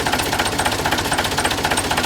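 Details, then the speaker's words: Volvo LM225 snowplow tractor with no brakes and a long-standing air leak: with the diesel running, the air compressor gives a fast, even pumping knock, about twenty beats a second, but pumps weakly, with broken compressor valves; oil leaking from the feed line and plug. "Not very strong."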